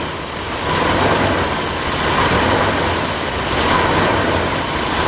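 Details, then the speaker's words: 1999 Dodge Dakota Sport 3.9 after engine replacement: steady even idle with smooth low rumble, no knocks or ticks; some idle fluctuation and a check engine light noted. "well it don't sound bad wrong so for that fluctuation idle"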